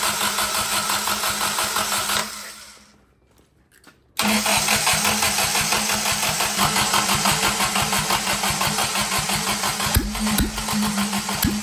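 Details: Willys F134 engine, started after sitting for years, fuel pressure regulator just fitted: cranks, stalls briefly, then fires into a hurried, slightly uneven run; too much fuel suspected, unconfirmed.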